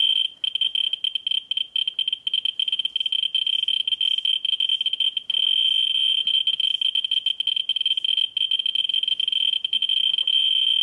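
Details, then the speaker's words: Ludlum 14C with a Ludlum 44-3 gamma scintillator brought near a smoke detector's americium source in fast mode: high-pitched chirps so fast they nearly blur into one shrill tone, a strong source held close. "now let's bring the cameras into for comparative smoke detector and that's on fast mode going near"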